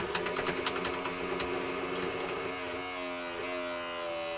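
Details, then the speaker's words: Sanyo Betacord VTC-1000 Betamax recorder playing a tape: uneven whirring and clicking, wavering motor tone, transport labours and never settles into play; belt suspected completely gone. "No, not a happy machine. Sounds like the belt's completely gone, actually."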